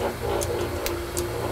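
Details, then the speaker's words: Metal shaper being oiled during setup, with the main crank pivot completely remachined after it was wiped out: steady rhythmic mechanical clatter with even, regular ticks and no knocking or grinding. The rack and pinion gearing runs well. "that was an item I had to completely remachine and fit it was completely wiped out and uh you can hear the gear rack gearing and"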